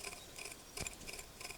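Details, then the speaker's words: Norton 650 Unified Twin prototype front wheel bearing, wheel off, bearing rocked back and forth by hand: faint dry chirpy ticks in small clusters; bearings tight and rough, suspected start of bearing breakup causing the riding noise. "Hear that noise? That's all from the bearing. That is the kind of noise that I've been hearing, but louder."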